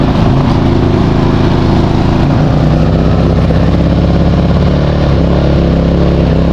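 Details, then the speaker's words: New Westinghouse iGen4000FDc dual-fuel generator, first start on gasoline after switching from propane, low fuel: small engine drones steadily, pitch drifting slightly up as idle stabilizes, smooth. "But there's the idle stabilizing."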